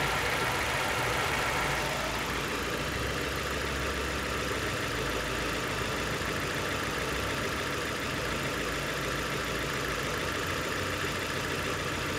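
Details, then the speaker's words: 2002 Nissan Sentra 1.8L with code P0300, rough at idle: uneven, stumbling exhaust beat with irregular skips. Random misfire traced on a scope to a faulty ignition coil on cylinder 4. "so the problem it is a core effect is causing this random similar misfire said I'm back holding that all number four and which is that faulty core crack"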